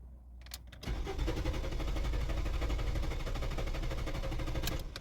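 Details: Renault Fluence: steady starter churning at about four beats a second for several seconds, never catching or picking up speed; cranks but won't start.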